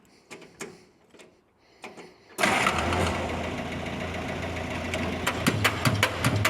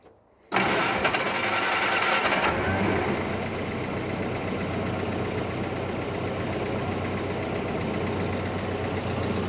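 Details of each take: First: 1946 Jeep CJ2A with a clutch that won't disengage, started in third gear, high range. Starter spins the engine steadily for seconds but it never fires. Fuel starvation: no fuel reaches the fuel filter, and the new lever-type fuel pump doesn't seem to be pumping. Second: 1946 Jeep CJ2A flat fender being checked for a clutch that won't disengage: engine started in neutral with the clutch held in, catching after a brief crank and settling to a steady, even idle with no knocks. Pressure plate spins and the throwout bearing engages and disengages.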